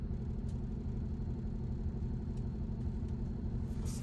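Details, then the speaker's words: Early-1990s (about 1993) Foretravel Grand Villa Unihome motorhome, started after sitting a few years, airing up with suspension creaking and popping: deep, even low rumble with a steady beat, no knocks or misses; smooth, healthy idle. "it's airing up I hear it creaking and popping that means it's lifting man that motor's smooth"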